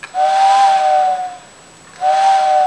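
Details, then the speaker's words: Vintage TYCO steam locomotive whistle after its original motor was replaced with a can motor from a CD player and further reworked: two clean whistle blasts with a steady tone and airy hiss, no vibrating or buzzing, motor faintly audible; whistle works properly. "no more vibrating noise you can hear the motor but you could hear the motor where the original 12"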